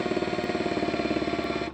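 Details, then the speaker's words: Makita DHP481Z/XPH07 combi drill, new: fast, even rattling hammer beats over motor whine when spring-loaded chuck is pressed, continuing in drill and driver modes; hammer action not disengaging, swapped for another unit. "I switch modes it doesn't stop and that definitely should you know obviously for screwing and stuff you don't want the hammer rolled on"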